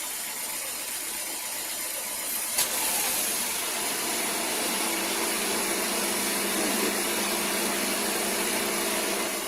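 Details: 2007 Nissan Sentra GX manual, 500k odometer, after throttle stop adjustment and TPS recalibration: idle down from 1100 to about 775 rpm, AC and lights off. Quiet, even, steady hum with no hunting or surging; normal idle.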